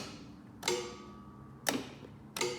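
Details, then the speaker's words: Dixie Chopper mower after clutch wiring repair, engine off and battery on charger: three sharp metallic clicks about a second apart; the electric PTO clutch is engaging normally. "hear the clutch clicking in now"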